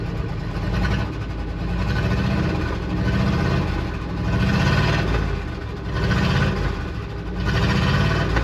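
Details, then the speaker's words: 1966 Dodge W200 Power Wagon, not run in 25+ years, 60 psi oil pressure, open headers; loud lumpy idle with slow surge about every second, possibly missing a cylinder or two, suspected not confirmed. "Might be missing a couple cylinders there. But not too bad. It's hard to tell with open header."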